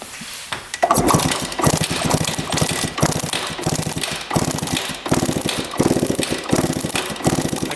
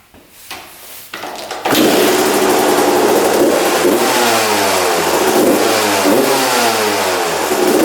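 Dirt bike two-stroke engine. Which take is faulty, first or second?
first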